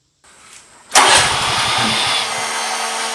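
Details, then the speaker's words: Generator at a swiftlet house auto-started by an auto start/stop panel on low battery reading: starter cranks, engine chugs unevenly and fails to catch on the first attempt; the second start succeeds. "Di sana sudah kedengaran gensetnya start pertama gagal. Lalu kemudian start kedua kedengaran sudah on."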